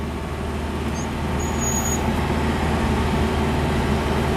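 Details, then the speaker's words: Truck running on a homemade wood gasifier, driven in second gear, with some lag. The engine drones steadily and fast with no dip, and idle speed is much higher than normal. "Oh, listen, the idle, very high. Idle's extremely high. You can hear it, that's much higher than normal."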